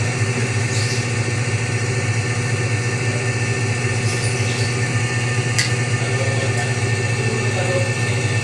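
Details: Whirlpool automatic washing machine after repair: steady low hum with a smooth, even drone and no knocking or scraping. Normal spin dry. Before, it drained but would not spin dry and showed error E2 after about 10 minutes; the problem was the two-terminal water sensor.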